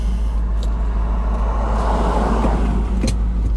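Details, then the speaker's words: 2001 Land Rover with a flashing check engine light, misfiring at idle: a low, uneven, stumbling idle with occasional sharp ticks over the rumble. The cause is not yet diagnosed. "it's somebody misfiring it's got a flashing check engine light sounds pretty good though"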